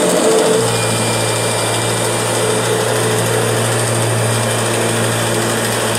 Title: Strange Noise Kirby G6 #2